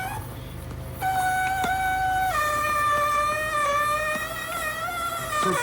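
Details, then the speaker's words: GE Profile ice machine making ice: a loud, wavering squeal as the auger struggles to push very solid ice up and out. The cause was later found to be a clogged water hose starving the evaporator of water. "What is going on? It's like the ice is struggling to come up out of there, making some type of god-awful squealing sound."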